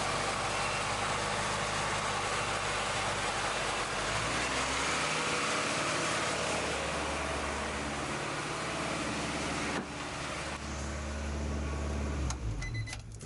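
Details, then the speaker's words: Red Acura Integra petrol engine at high idle, fast and steady, then the note drops clearly as revs fall. Covering the idle air control valve bypass drops RPM. Coolant leak present; owner suspects IACV or low coolant. "as you can hear is revving up high but look coolant leak somewhere Reverend about 25 honey so yeah that's my issue right now"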